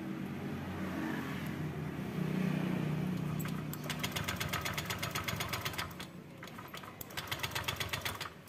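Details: Honda Vario 125 scooter, no error codes, fuel pump pressure normal at about 40 PSI: cranks in quick uneven pulses but won't start, dies at idle if it runs; weak spark, wrong spark plug suspected.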